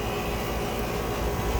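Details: 1.5-ton York condensing unit converted from leaking R22 to R410A last year: constant harsh roar with gritty stony rattle, like a rock inside compressor; broken internal compressor plate suspected, causing no cold air.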